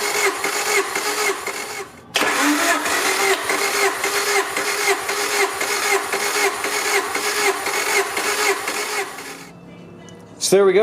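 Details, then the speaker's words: Supercharged EF Honda Civic, hot engine, all 4 spark plugs removed, throttle wide open for compression test, 10–12 cranks per cylinder. Even, unlaboured starter cranking with steady pulses and a brief pause, no firing; cylinders 1 and 4 about 173–175. "Reason being we need this to be open all the way so it pulls in air to the cylinder and we can get that correct compression test. And I'll usually crank it like 10 to 12 times before I come out and check the compression."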